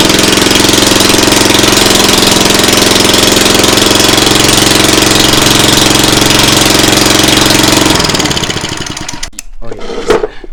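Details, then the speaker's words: Lawnmower after deck swap, new carburetor and fuel line, run without its muffler: harsh, very loud crackling bark like a dirt bike, then winds down; exhaust too loud because the muffler was left off. "Alright guys, we found out why this thing was so loud. Well, Mister over here forgot to put on the muffler, so this thing sounded like a full-fledged clap dirt bike."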